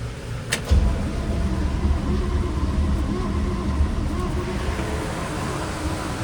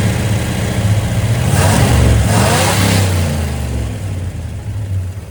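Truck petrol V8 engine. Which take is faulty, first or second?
first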